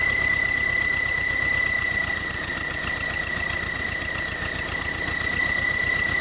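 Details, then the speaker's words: Volkswagen under 1000 miles after its build; rough idle with rapid ticking chatter and a steady high whistle that comes and goes with throttle, first thought a bearing; intake manifold vacuum leak, manifold rocking on a stripped stud. "But I'm going to start it up, and you can hear the noise. Hear how it comes and goes with the throttle?"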